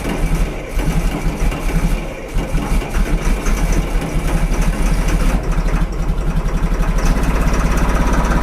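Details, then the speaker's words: 2000 Cat 563D ex-USMC vibratory roller, Cat 3116 diesel, 25 original hours, cold start (engine described as cold natured): cranks and catches, steady low rumble firming and evening out as it warms; healthy start. "this has the 3116 cat in it they're a little bit cold natured so we'll turn her on here and see what she does"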